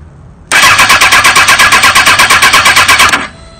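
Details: Fuel-injected 2005 Kawasaki ZX-6R 636cc engine, first start for a buggy swap with oil half full, after reseating the fuel pump connection: brief cranking, then it catches and settles into a steady, even beat with no odd noises; normal start.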